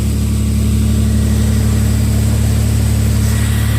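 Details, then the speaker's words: Toyota 4Runner after new ignition coils cured P0300 misfires in the rain: smooth, steady low idle with an even beat, no skips or stumbles. Normal idle after repair. "oh yeah baby she is smooth yes that's what we wanted"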